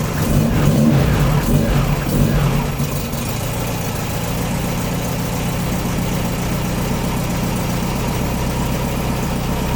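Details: Air-cooled VW Baja Bug engine, started after an oil change and valve adjustment: it catches with a rev, then settles into a steady, even low idle putter of about four beats a second with no knocks or misses. Normal idle.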